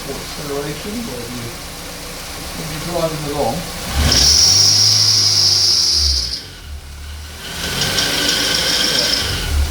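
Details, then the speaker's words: Ford KA, alternator replaced a week earlier but old drive belt kept: quiet idle, then loud piercing steady squeal when revved that fades as revs drop; probably a worn drive belt, as a water spray stopped the squeal. "this is what it sounds like don't sound too bad a minute but when you turn up the revolution"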